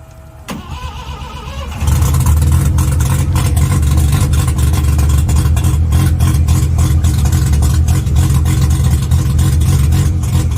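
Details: Mazda RX7 12A rotary, first start attempt on a charged battery: short crank, then loud, raw, deep unmuffled burble; sounds like open headers with little coming out the tailpipe, exhaust apparently not functioning, cause unconfirmed.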